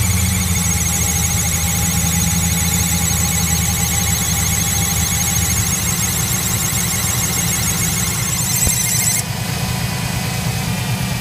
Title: whining noise coming from engine